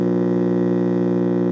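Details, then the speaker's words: 1966 Zenith All American 5 model 504C AM tube radio, powered from a variable supply: a loud steady low hum that grows with supply voltage, unchanged by the volume control and picking up no stations; the filter electrolytic capacitors have failed. "Although the on and off obviously works, the volume doesn't seem to have any impact on the hum at all. And doesn't seem to be trying to bring in any station. So, the only thing it's doing is humming. And the more voltage, the louder the hum."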